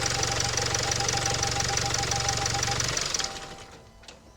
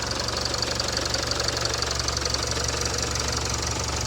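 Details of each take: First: 2017 Range Rover Evoque diesel after turbo cartridge replacement, idling: busy metallic rattle about three beats a second over the diesel clatter; turbo squeal gone. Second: 2017 Range Rover Evoque diesel after turbo replacement following squealing turbo: steady even idle with light regular clatter about three ticks a second, no whistle or screech. Normal idle.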